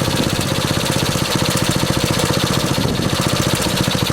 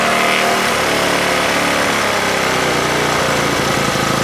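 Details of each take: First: 1964 Honda S90 brought out of storage: small single-cylinder engine pops along in a quick even rhythm with no misfires or rattles; runs cleanly. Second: 1964 Honda S90 single-cylinder after trying to stop a fuel leak and refitting the carb throttle slide: chugs unevenly with a ragged, stumbling beat instead of a clean steady putt; running rough, worse than the day before.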